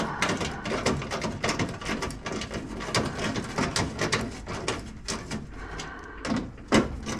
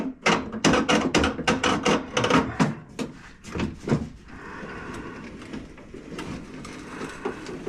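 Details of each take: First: Hand-crank window regulator after caked-up old grease was cleaned off the crank and track: quick, repeated soft rolling strokes with no binding or grinding; window travels freely and rolls much better than before cleaning. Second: Car window track after cleaning old caked grease and regreasing: gritty, uneven crunching and clicking while glass travels, then quieter, rolling much better than before; window regulator track crunching.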